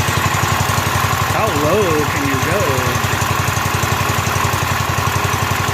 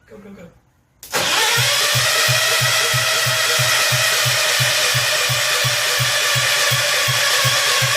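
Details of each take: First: Rebuilt Kohler K241 single in a John Deere 210 garden tractor, first start with a new fuel line: steady putter with even firing pulses and a faint tonal warble; idles smoothly, before idle mixture adjustment. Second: Rebuilt Kohler K241 in a John Deere 210 garden tractor, cranked with the choke on: steady starter cranking about three compression strokes a second for nine seconds, never firing. The ignition hot wire was not connected, so there was no spark.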